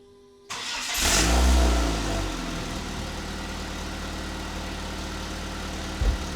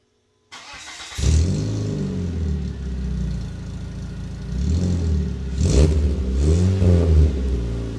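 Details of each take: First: Dodge Neon with used old muffler temporarily swapped in: catches and settles into deep, boomy idle with heavy low drone; sounds much worse, muffler doing a poor job. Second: Dodge Neon after fitting a resonator, before the muffler is installed: starts and idles with a deep even burble and a few clean rev blips, no droning boom; sounds better than with the muffler.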